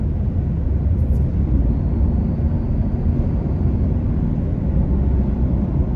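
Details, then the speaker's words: 2025 Toyota Tacoma, heard in the cab with AC off while accelerating to 55+ mph: steady road and engine rumble with a faint, even high turbocharger whir on top. Normal turbo spooling. "All I really heard there is the whir of the turbocharger, which by the way I love. I think it's freaking awesome."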